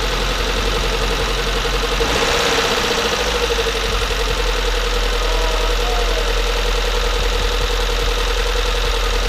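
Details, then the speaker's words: Nissan S13 200SX, freshly rebuilt CA18DET, first startup: steady fast idle with a rough rattly edge and nagging tone; sounds incorrect, cause unclear. "it's running okay now we're actually gonna have to run it and see um the sound sounds a little bit incorrect"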